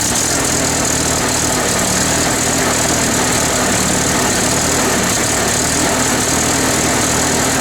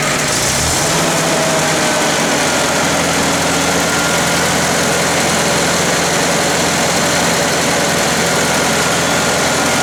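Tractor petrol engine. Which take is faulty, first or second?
first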